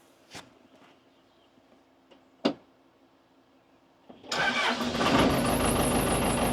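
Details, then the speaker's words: Neglected Case 580 Super L backhoe diesel, jumped from a car: a couple of clicks, catches at once, steady run; bad belt squeal, tensioner thought to be toast. "Sweet! That's more like it. There's some belt squeaking pretty bad, but started up no problem."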